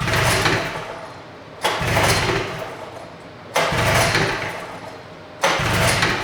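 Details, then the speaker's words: 1972 John Deere 400 snowmobile with Mikuni VM34 carb and pulse pump conversion: four pull-start strokes, each a whoosh that dies without firing; fuel smelled, plugs wet, no spark, so it won't start. "I can smell fuel might need a little help LS are a little wet maybe a lot wet it would seem we have no spark"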